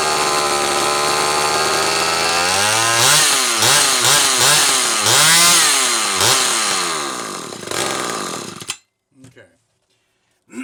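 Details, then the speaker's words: Carburetor (Zama C2002) from a McCulloch Pro Mac 800 chainsaw, already rebuilt by a shop, running after adjustment: crisp high buzz with clean quick throttle blips, no bogging or four-stroking; won't idle because linkage differs and lacks idle speed screw; runs fine. "So it won't idle because obviously this linkage is shaped different and there's no idle speed screw there, so don't let that fool you. This appears to be running fine."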